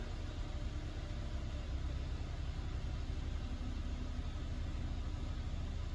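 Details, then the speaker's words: 2006 Toyota Corolla 1.8, about 200,000 miles, idling after oil was cleaned from the cylinders (leaking valve cover gasket filling spark plug holes caused misfires P0301-P0304): low, steady, even idle with no stumbles. "okay I've cleaned all the oil out of the cylinders and it looks like she's running"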